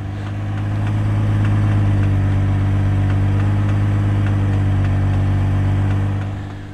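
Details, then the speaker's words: 2004 GMC Envoy after P0300 random misfire code, with battery reconnected: steady low smooth factory exhaust hum at idle, no stumble or popping, no check engine light; ignition coil replacement still planned. "the sweet hum of that factory exhaust sounds pretty good i don't hear anything out of the ordinary with that"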